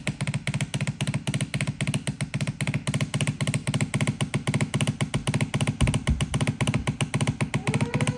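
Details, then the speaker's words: Shark steam mop S3601, partly disassembled with a piece removed: loud even buzzing pulse about 75 per minute while steaming; owner thinks the weird noise comes from the pump motor, which also pushes excessive water out. "One thing I noticed is this piece was, because when I was making weird sound, I think it's coming from this motor, and because it's pushed excessive water out from here, and this, I removed this piece."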